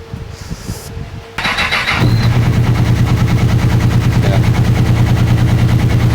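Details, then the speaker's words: Honda CB1000R four, previously fitted with a new rectifier and starter motor, broke down and won't start; with the left two cylinders' Power Commander wires disconnected and original wiring hooked up, it cranks then catches into a lumpy, uneven run on only the right two cylinders; battery not fully charged. "Two cylinders, I think. Yeah, the two the two right cylinders are firing."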